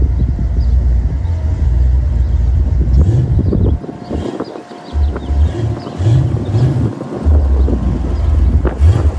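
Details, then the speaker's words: Cold start of a 1991 Ford Mustang LX 5.0, rebuilt 306 with E303 cam, Edelbrock 1406 carb, BBK long-tube headers, H-pipe, Flowmaster Super 40 mufflers: deep lumpy idle with choppy cam beat and throttle blips while warming; healthy. "This is cold start. It's got the Flowmasters on it."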